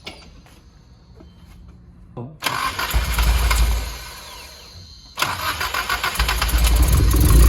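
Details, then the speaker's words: Nissan S14 just brought back to running on fresh 93 octane, still untuned: two cranks catch into a lumpy, choppy idle with sharp revs and crackling pops. Rough untuned running with popping. "Obviously, it still needs to be tuned. You shouldn't really be revving it that much. They said that there was flames, supposedly."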